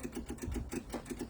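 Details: MEP-002A military diesel generator, unused for decades, with rusty diesel from its corroded tank: quick even clicking, about six per second, with engine off as the electric fuel pump primes and purges air before glow-plug preheat.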